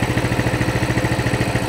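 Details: Coleman CT200 mini bike, non-adjustable carb, throttle return spring removed from the throttle: the small single idles steadily with an even putter at about 1600 rpm, within 150 of the 1700 target. The tach fluctuates and the clutch isn't moving: a normal idle.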